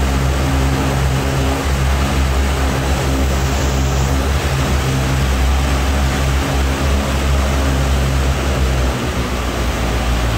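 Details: Brand-new Rotec R2800 radial for a Kitfox on test run, oil and fuel pressure good, run a couple of hours: deep steady propeller drone, even unbroken beat, no stumbles or knocks; ran fantastic, made good power, idled smoothly.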